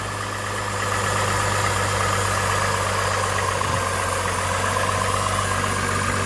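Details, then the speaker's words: 2005 Buick Rainier petrol six-cylinder after replacing the original ignition coil and clearing codes: a steady low hum with an even pulse, no stumble or miss. "Looks to be running smooth."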